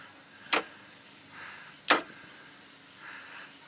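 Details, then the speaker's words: Ford BA Falcon automatic, upper shifter linkage had come off and park is hard to engage: two sharp metallic clunks as the selector goes into park; owner suspects a kinked new cable, later suspects parking pawl failure. "so good news and bad news that loud noise is on the cable yeah okay so it's a new cable I reckon the cable must be damaged kinked"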